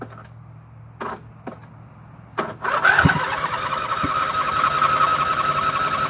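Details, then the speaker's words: 2007 Husqvarna YTH2454 lawn tractor just after being washed: several short cranking bursts with pauses, then catches and runs rough while smoking; owner suspects wetness from washing; cause unconfirmed. "okay they tried to start again he's smoking though"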